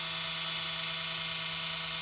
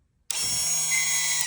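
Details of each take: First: 2020 Audi Q3, 58k miles, rear brake pad change: electric parking brake caliper motor on 12V supply, steady high whine for about six seconds then stopping cleanly, retracting normally after polarity swap. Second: 2020 Audi Q3, 58k miles, rear brake pad change: electric parking brake caliper motor powered from a 12V supply with polarity reversed, high steady whir for about 1.5 seconds, extending instead of retracting; leads then swapped.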